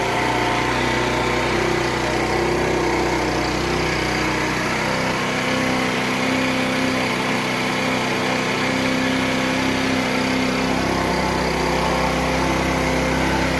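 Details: Wolf Islander 50cc Vespa-replica GY6 scooter, after a new carburetor and throttle cable: buzzy small engine holds a constant, even drone with no stumbling or surging; runs cleanly.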